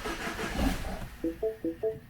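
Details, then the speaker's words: Mini Cooper Countryman, crank-no-start that began after one day of normal driving. The starter turns the engine evenly for a second but it never fires, then dash chimes sound. No check engine light or codes. Later found the timing chain jumped a cog, likely from oil starvation. "just keeps doing that keep cranking keep cranking keep cranking so what's that no spark or no fuel for sure don't even have a uh don't have a check engine light on there"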